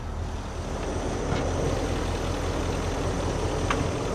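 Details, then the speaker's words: Nissan Titan with Cummins diesel and CP4 pump, after three failed dealership repairs, idles with an uneven bump-bump misfire that smokes; low fuel pressure and check engine lights on; codes show injector circuit open on cylinder 5 and low fuel system pressure. "There's the noise. It's misfiring. The guy does have a real problem here."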